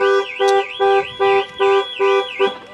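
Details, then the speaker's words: Range Rover Evoque alarm: warbling siren in quick, even pulses about two and a half per second; car alarm working normally. "the alarm works"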